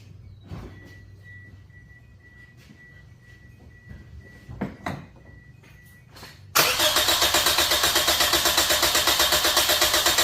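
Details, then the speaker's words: Toyota engine cranked with a manual compression gauge fitted to one cylinder, reading about 175–190; quiet at first, then steady, even cranking chuff about four times a second; normal cranking. "I'm going to get in crank it we're going to see how much pressure it generates"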